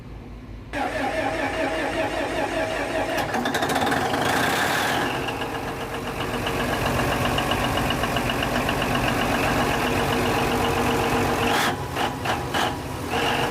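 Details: Denyo DCA610SPM diesel generator won't start: starter churns steadily about ten seconds, engine never catches; suspected magnetic pickup or its wiring, pickup measured good at 1.3–1.4 ohms, wire harness being checked.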